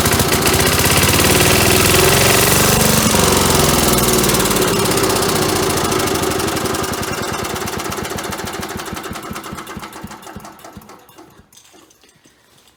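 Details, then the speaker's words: 1977 Agway 1500 W permanent-magnet generator, engine primed with gas down the carburetor, light plugged in: rapid, even firing about four beats a second, then dies off; runs briefly on primed fuel, light came on. "so I'm going to put a little gas down the carburetor there and see if it'll fire up here"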